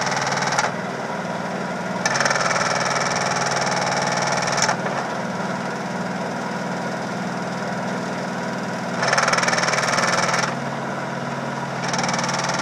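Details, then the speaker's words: Samsung VTR steam washer on spin with rear cover off: spin hum broken by loud bangs every few seconds as drum slams around; broken plastic rear mount. "but a little mount, plastic mount. There was one here. It came off. It broke. Sounds horrible, and it's just this plastic piece."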